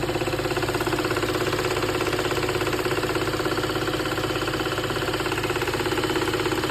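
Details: VW Golf Mk7 GTI at idle with air conditioning on: steady fast ticking, about three per second, over an even idle; cause not pinned down.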